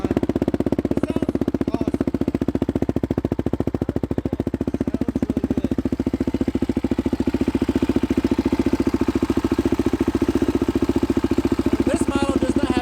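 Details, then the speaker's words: 2005 Polaris Predator 500 sport quad, choked, a little cold-blooded though run two hours earlier, new exhaust fitted: steady, even single-cylinder thump with crisp exhaust note, no misses or knocks; normal idle, owner expects better idle once warm. "It's a little cold-blooded, but I just ran it about 2 hours ago, so it shouldn't be too bad. There you go. Might have to give it a little gas. Once it warms up, it'll idle better."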